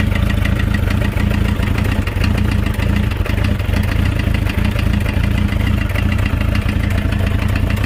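Steady idle with a fast, even ticking knock riding over the low engine drone; a knock at idle, cause not yet pinned down.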